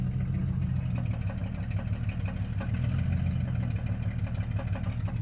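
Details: Jeep Cherokee XJ 4.0 High Output at idle: low rumble with a loose, rapid clatter about three per second underneath; the noise was traced to the torque converter, not the engine.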